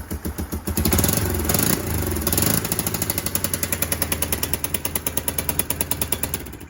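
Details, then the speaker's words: Kawasaki KLF300 Bayou 4x4 ATV during a spark plug swap test; the removed plug was oily and black down the thread. Uneven single-cylinder chugging with sharp pops and surges, misfiring and spitting through the exhaust; owner thinks an oily plug is indicated. "Right, ignoring the fact it's blown out the exhaust, that is not a sorted bike. It's a bawdy bike."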